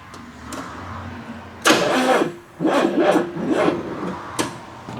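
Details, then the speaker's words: 1984 Chevrolet S10 Blazer, abandoned 13 years with a seized engine and now turning with compression, carburetor cleaned and spark untested: slow, labouring starter cranks in uneven bursts, but it never fires. Starter weak, wiring poor. "Well, that's great. This starter is not happy. Them wires aren't too great either. Now that it's actually got some compression behind it."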